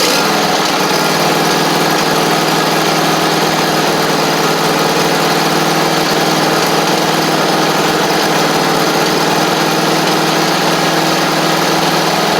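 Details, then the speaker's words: Free John Deere D140 riding mower (parked for blowing fuses), after valve adjustment and with the blades freed up: the engine runs steady and even with the blades whirring on top, with no misses or knocks. Normal running with deck engaged. "I also got um the blades freed up so I want to see if those will run those will work too"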